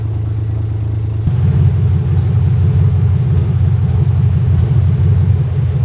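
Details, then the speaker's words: 2001 Lexus IS300 after clogged catalytic converters were replaced with an aftermarket header and cat-delete adapters: low, steady, even idle rumble with no obvious miss. Normal idle; earlier cylinder 3 misfire may return. "So right now the car is idling way better."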